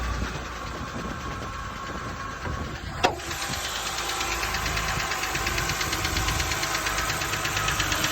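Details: BMW 328ix engine after start-up: steady light tapping knock about twice a second over the idle; owner suspects rod knock, cause not confirmed.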